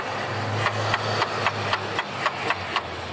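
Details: 1990 Ford Thunderbird Super Coupe, 3.8 L supercharged V6 with 5-speed manual, idling with a steady sharp tick about four per second over a low engine hum. Cause suspected, not confirmed.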